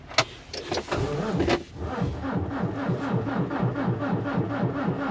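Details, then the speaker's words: Volvo diesel truck after an oil change and greasing, battery discharged (13.7 V measured), jumper used: the starter churns at about four pulses a second with no firing. Crank, no start; owner suspects the diesel line got blocked during the oil change. "Al right lubat itong truck guys Ayaw umandar Hay naku start ulit natin"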